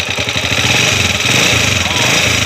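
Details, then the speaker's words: TMX155 motorcycle engine, noise not cured by tune-up: loud metallic clatter over fast firing beat as it revs; worn timing gear to be replaced with full overhaul; spark plug also loose. "Maingay, timing gear, palitan natin. Diretso overall na."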